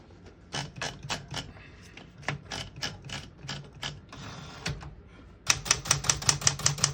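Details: 1971 Smith-Corona Super Sterling vintage portable typewriter being tested: crisp irregular key strikes, then a quick even run of sharp clacks; clean mechanism, nothing dragging, operating normally.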